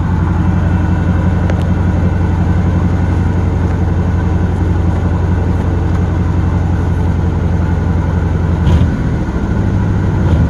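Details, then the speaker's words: 1977 Pontiac Grand LeMans; owner tries blipping throttle to bring it off high idle but it stays up; fast steady idle not dropping back, stuck high idle. "let's see if we get her off this high idle"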